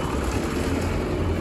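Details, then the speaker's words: Abandoned Thomas Built school bus, 8.2 L diesel, first start: started immediately; low even diesel rumble at idle, no misfire or knock, smoothing out; normal diesel idle. "the idle's smoothing out it's not too bad she puttered oh yeah getting that good diesel smell"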